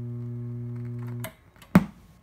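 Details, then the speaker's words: Rotel RB-1080 stereo power amplifier, left channel faulty, no input connected: pop at power-on, loud hum once the protection LED goes out, then a loud pop at power-off; possible DC on the output suspected. "So you can hear that popping as I turn the amplifier on, and you can hear the loud humming as soon as the protection LED was extinguished, and then you can hear it pop really loud as well when I powered it off."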